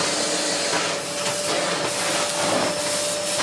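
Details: Bosch GS40 bagless vacuum (BGS4HYGGB01), showing a red light from a blocked, filthy filter, running after the blockage was cleared: even, steady motor whine with constant pitch and strong airflow rush, no surging; suction sounds healthy.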